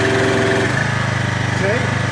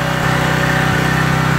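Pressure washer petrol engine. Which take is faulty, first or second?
second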